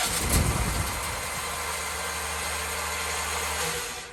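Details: Propane generator, started only once since the new tank line was run, tested before cold weather: a rough burst of turning over, then a steady whir with no firing. No gas pressure because the propane tank was empty.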